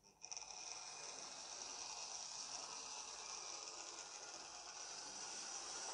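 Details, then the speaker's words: Second-hand Lima Class 73 model locomotive (73108), after cleaning and dealing with loose traction tyres, before 30-minute running-in; quiet steady high-pitched motor whir with light gear ticking, no grinding or stalling; tyres holding well, running smoothly. "she does seem to be a fair bit better have a listen yes that is a mini Henry Hoover the wheels as well the tires seem to be going well"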